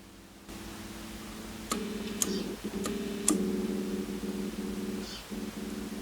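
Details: McMillen guitar with a repaired 3-way pickup selector switch, still unstable: amp hum and held notes broken by sharp, irregular crackles and pops, attributed to the switch; intermittent crackle.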